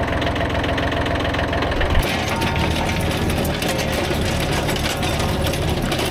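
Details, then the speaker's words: Kubota B7100 tractor after replacing chipped gearbox gears and worn bearings: steady low drone with no gear whine or grinding from the gearbox; normal running. "all the gears work perfectly everything meshes together no more horrible noises in the gearbox so problem solved"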